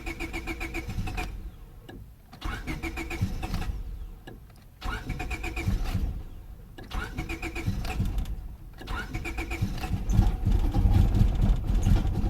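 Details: 2000 Honda Civic 1.6L, won't start when damp after sitting, fuel smell present; throttle held slightly open: repeated cranking bursts with pauses, finally catching and running rough; hard start, cause unclear, P1509 code noted.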